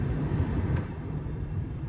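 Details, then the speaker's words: GM G-body car AC blower after cleaning a faulty connector terminal, running on resistor coils at low speed, then high; steady even air rush with no rattle, tick or scrape; normal blower operation. "okay now we're off of the high speed relay and we're on the resistor coils and now you shouldn't be able to hear it running so it's running barely"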